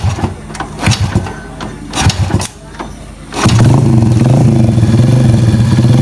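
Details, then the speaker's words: Supra Fit New motorcycle after an engine rebuild for a knock that sounded like a con-rod noise but was not; the faulty part was replaced. After a few clatters it settles into a smooth, steady idle with no rough noise. "Dan ini suaranya sekarang enggak bunyiok lagi ya, enggak bunyi kasar lagi karena ini permasalahannya selnya udah diganti ya."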